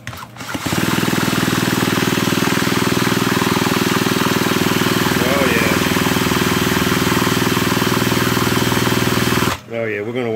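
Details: Vintage McCulloch Mac 110 chainsaw found sitting in water at a dump: fast, even chuffing at about four strokes a second with no firing as it is pulled over after spark testing. Water and liquid are still being purged from the cylinder, so it won't start. Cause suspected, not confirmed.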